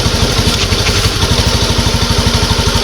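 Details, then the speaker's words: Honda Beat ESP injected scooter, reassembled after replacing fuel pump and very dirty fuel filter: steady low idle with regular firing, no misses; runs normally, normal idle after repair. "Oke teman-teman jadi untuk permasalahan ini sudah selesai motor hidup dan untuk hidupnya ini normal ya"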